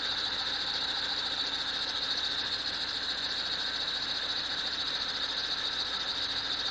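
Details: BMW at cold idle: steady high-pitched screech that never changes pitch, heard only when the engine is cold; source unknown.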